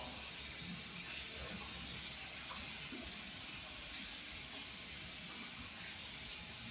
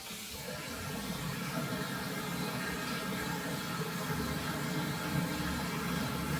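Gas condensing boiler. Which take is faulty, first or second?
first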